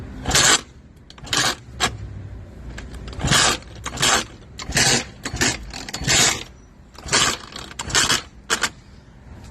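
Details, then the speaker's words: Eaton Beamer III scooter, previously crashed, during rebuild with choke on: harsh rattling clunks in bursts with each kick, engine never catches; owner feels the kickstart should not sound like that and plans to pull and inspect the assembly. "I get this feeling there is something really wrong with this that Kickstart should not sound like that when you are pushing it right"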